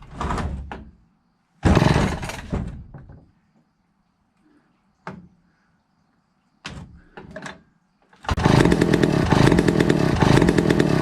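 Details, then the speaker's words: 1962 McCulloch 1-46 chainsaw, missing its carburettor and parts, on a substitute carb: catches in short ragged bursts that die within a second or two, then barely holds a rough run; owner suspects a cracked fuel line sucking air. "it's fired but it just didn't go ha it actually felt like it wanted to grab fuel that view line may have a crack in it maybe sucking air"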